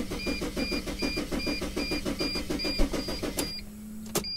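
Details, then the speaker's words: Mercedes Sprinter van cranks steadily at about four compressions a second under a chime, never catches, tachometer doesn't bounce; no-start caused by using the key to the wrong van. "it doesn't start we've got more to look at does the tachometer bounce it does not"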